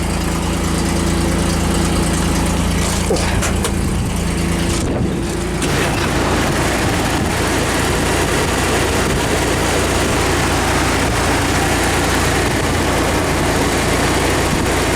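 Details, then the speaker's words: Toyota T100 2WD pickup, 3.0 engine, 5-speed manual, about 135,000 miles, no catalytic converter, exhaust exiting behind the door: catches and settles into a steady, loud, even idle, no knocks or misses. "The exhaust comes out behind the door, so unfortunately it's loud, which sucks."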